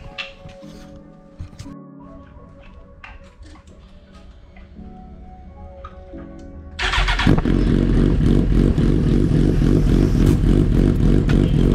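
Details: 2009 Suzuki GSX-R1000 after the fuel pump issue was fixed, tank cleaned and fuel pump refitted: a few quiet clicks, then the engine catches and settles into a strong, even, steady run with no misses; running normally.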